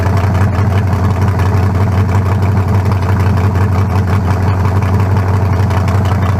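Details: 1974 Nova's new low-compression turbo small block (40-over, 3.48 stroke, forged pistons; replaces a cracked-cylinder-wall 388): loud, deep, steady lumpy rumble with no knocks or ticks, judged better than the 388. Normal idle.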